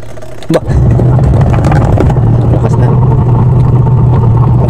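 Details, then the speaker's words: Eureka washing machine after the gearbox was replaced: steady low hum of the wash motor with even agitation and no knocking or grinding. The earlier noise is gone; normal wash agitation. "Yan, okay na, wala nang ingay yan."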